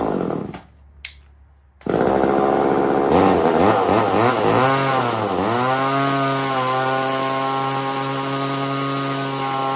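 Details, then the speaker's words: 1980s chainsaw-powered generator attachment: saw fires, revs, then holds a hard, high screaming whine at wide-open throttle, sounding strained like it's going to blow up; generator not producing power, owner suspects under-spinning or wrong direction. "and that's all sounds like it's going to blow up not a big fan of that"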